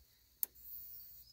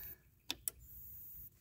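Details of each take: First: New replacement electric fence charger after the old one tested bad: one crisp snap over near-silent background with no follow-on second sound as the faulty unit made; normal charger pulse. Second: Electric fence charger with sharp ticks about every 1.5 seconds, some followed by a second snap; this faulty old charger's extra sound after each snap is the double pulse, and it was replaced with a new one.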